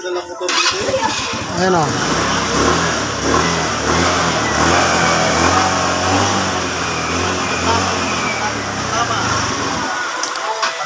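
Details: Motorcycle that would not run after three months in storage, after carburetor cleaning, catches within a second and settles into a steady, even idle with a few blips; normal start and idle.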